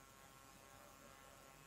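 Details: Samsung laptop power adapter under load with laptop connected, casing opened: faint, constant hiss with light electrical buzz; owner suspects a winding or capacitor but source not yet found.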